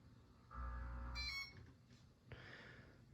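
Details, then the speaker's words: Homestead Geneva ceiling fan, remote fan receiver: a low buzzing pulse swells for about a second, then a short high beep confirms the command; normal receiver pulse and beep. "like you hear the pulse noise that the it fans make and then uh um and then then it gets louder before it makes the beep so it takes a little bit longer uh to do it than it"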